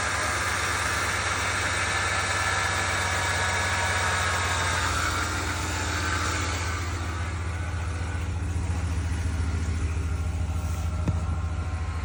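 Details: 2020 RAM 1500 with 75K miles at idle: a steady thin whine rides above the engine and holds throughout, from a belt-driven unit or accessory, possibly the MGU; the cause is suspected, not confirmed.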